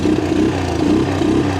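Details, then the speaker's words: Shaft-drive three-wheeler started just after reassembly: uneven putter whose note wavers and dips roughly every half second. Owner hopes it might run better as it goes; it later stops running. Rough running engine, cause not yet clear. "It might run better as it goes. We'll see."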